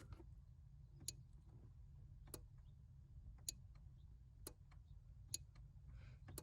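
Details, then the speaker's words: Toyota MR2 Spyder rear window defogger relay, recorded under the left kick panel by the body module with the defogger switched on: sharp, crisp clicks about once a second over a low hum; the relay is switching normally. "That clicking noise is that relay right there."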